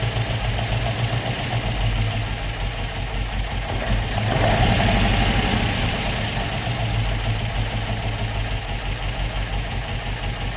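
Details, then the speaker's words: Opel Manta hatchback with Ascona front end, stored about 20 years, on old plugs: low, steady idle with an even beat, briefly swelling then settling, ticking over on its own. Normal idle. "happy days that was not bad for a car that has been stoed for 20 years I thought it was going to be a lot harder to get started than that"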